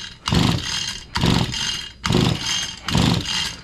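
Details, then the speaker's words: Stihl FS85 hedge trimmer, starting fluid added, switch in start: four slow pull-over bursts, engine spins but never catches; no-start, suspected compression issue (possibly needing new cylinder and piston) or spark issue. "wow see they're supposed to fire it up is absolutely nothing that's supposed to fire it up we got it in start so that was supposed to fire that engine up"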